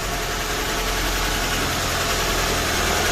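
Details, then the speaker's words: Mitsubishi Lancer "Hotdog" car starting, then settling into a steady, even idle with no knocks or misses, after the weak, drained battery was replaced with a new one bought online; the car had been parked for weeks; normal idle. "So nag-start na siya. So ayan, okay. So ayan, the engine is running already."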